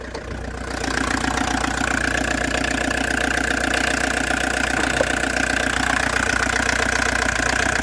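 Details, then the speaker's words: Old Audi diesel for sale, new battery: regular clatter of about two and a half knocks a second, steady rhythm once settled; healthy idle. "так моторчик робить непогано"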